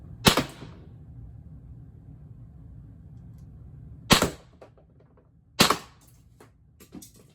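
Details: Mag-fed less-lethal air pistol firing shaped ammo after adjusting spring setting to avoid jams: three sharp pops several seconds apart, each followed by light mechanical clicks, nothing stuck; cycling and feeding normally.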